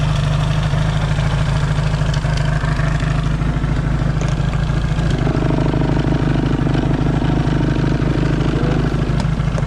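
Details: Yamaha XS650 parallel twin, engine just reinstalled and first started, warm with points not yet properly adjusted: deep, even idle beat with no misses or knocks, no oil smoke seen; healthy settled idle.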